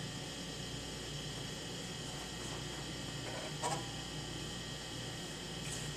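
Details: 1993 IBM PS/1 Consultant 2133-G49 (486SX 25 MHz, 129 MB hard drive) powering on after a RAM upgrade: steady, even fan hum, faint electrical whine and occasional soft drive-seek clicks. Normal startup sounds.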